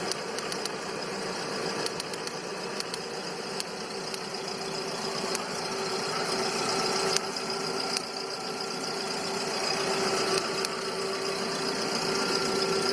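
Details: 2009 VW Gol G5 at 30,000 km: fast, uneven ticking over a rough hum at idle or when losing power, with jerks and rpm drops. Cause unclear; suggestions include tappets, a cracked ignition coil with a worn throttle body, or normal for Gol.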